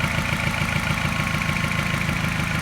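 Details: Mini N12 engine, not quite cold but not warm, at a fast even idle: a light tap keeping time with a small regular misfire stumble. Cause unclear.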